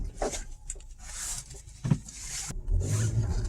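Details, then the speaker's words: 2011 Audi A4 front suspension creaking and rubbing groans as it moves, from the rearward lower control arms, whose bushings are badly worn and cracked; the lower control arms are being replaced, a common issue. "noise and as you guys can hear there is a lot of noises coming from the front suspension and for this specific uh noise uh is responsible their rearward lower control are and as you can see the bushings are really worn and cracked"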